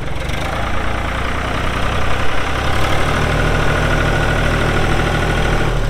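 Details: 1999 New Holland TN65S 4WD diesel tractor, 8-speed hydraulic shuttle, NH 33LA loader, 4,162 hours: diesel catches and settles into firm, even idle with low steady rumble, no knocks; hydraulics strong, engine sounds good — normal idle.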